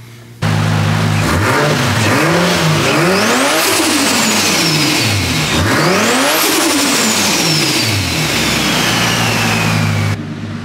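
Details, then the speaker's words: Freshly installed Pulsar GTX3575R turbo, oil primed. Crisp revs climb and fall twice, with a turbo whistle spooling up and bleeding off each time; healthy install. "all right there it is it's on it's running obviously i didn't expect it not to run but i'm gonna hook up the exhaust because it's way too loud you can't hear the turbo"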